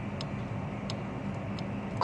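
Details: 1976 Gottlieb Volley electromechanical pinball relay after its bent switch blades were straightened: a few crisp, clean clicks at uneven spacing over a low hum. It switches cleanly and everything changes state.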